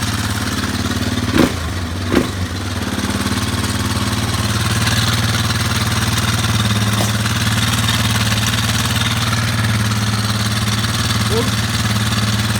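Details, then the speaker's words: Warrior engine warmed up after valve adjustment (about 10 thousandths), timing chain tensioner not changed: warm single thumping idle with a faint light tick still on each beat; sounds better but some top-end noise remains, source unclear. "That sounds better. There's still something there for sure, though."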